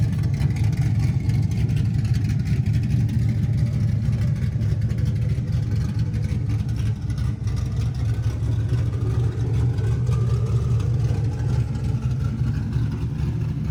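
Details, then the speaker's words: LS-swapped Camaro V8 on new 3-inch X-pipe exhaust, mufflers off; deep steady burble with even beat, no knocks or ticks: normal idle. "This sounds way, way better. It's a long trip back from Mexico, but how could you not love that?"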